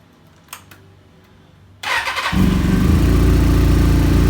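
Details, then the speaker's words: Kawasaki ZZR600 streetfighter with ram air removed and Supertrap exhaust: starter catches quickly, then a steady, even idle with a crisp exhaust beat; owner says it sounds good; healthy start. "But I'll turn it on real quick so you guys can hear that, you know, everything, for me at least, sounds pretty good."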